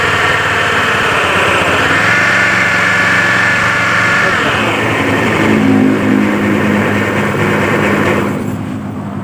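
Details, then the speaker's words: Honda Beat scooter with oil flooding the air filter, oil suspected topped up with used oil: loud rapid helicopter-like chopping clatter about four a second at idle; cause unknown, CVT or crankshaft bearing suspected. "suaranya sudah mirip dengan helikopter"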